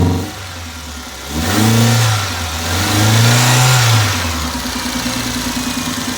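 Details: Toyota: engine revs up twice and the exhaust note breaks up with an irregular stutter while settling back to idle; misfire.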